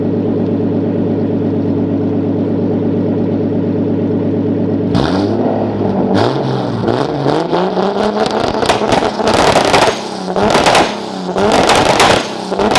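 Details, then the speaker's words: 2003 Nissan 350Z with 2JZ swap, warmed up, after a misfire fix: steady drone pulling cleanly with no stumbles, pops or dropouts where random misfires used to occur; smooth cruise without misfire. "we're cruising about 55. and I don't hear anything because usually they'll just be like a random misfire as you just you know go along"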